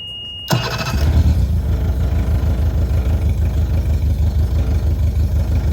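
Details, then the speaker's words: Engine swapped into a Powercat boat, plug wires pulled one by one showing good spark on each cylinder, all sounding the same, coil ruled out, fuel suspected; uneven lumpy throb about three times a second: rough running, misfire. "It all sounds the same. It does all sound the same. Sounds like it's just down all of them."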